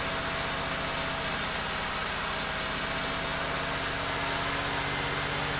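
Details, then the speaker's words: 1989 Buick Reatta idling evenly with a smooth low pulse and no misfires after replacing the ignition control module and serpentine belt and repairing the battery cable and grounds; runs much better but is still learning to idle down. "Sounds like a NASCAR. I don't hear misfires. No, it's running a lot better than it was."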